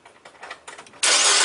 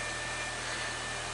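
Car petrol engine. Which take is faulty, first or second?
first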